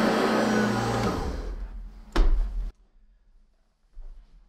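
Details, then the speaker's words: Hoover ONEPWR HEPA+ cordless upright vacuum (BH55500PC) on high setting, recorded with a studio microphone during pickup test: steady high-pitched motor whir with a brief pickup rush, then winding down; normal. "let's see how this hoover does and we'll be doing this on the high setting"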